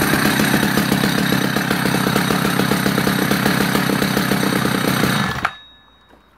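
Steady, even two-stroke burble at a fast idle for five seconds, then it is shut off; smooth, regular firing with no misses.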